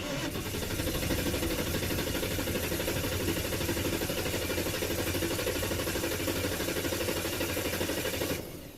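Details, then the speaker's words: 1996 Ford, possibly an F-250, 5.8L V8 with a reported misfire and no codes, cranking for a relative compression test with a scan tool: even, unbroken cranking rhythm, cadence suggesting nothing wrong with relative compression. "I listen to the cadence of that relative compression I think I'm gonna find nothing at all wrong with relative"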